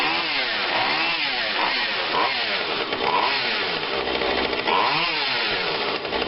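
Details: Husqvarna 142 40cc chainsaw, long unused: two-stroke buzz rising and falling with repeated throttle blips, revving cleanly each time without bogging; runs normally.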